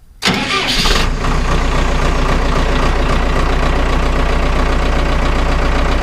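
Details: Vermeer 1800 wood chipper bought at auction, first start in four years: the starter turns briefly, the engine catches within a second and settles into an even, steady low chug; normal start and idle.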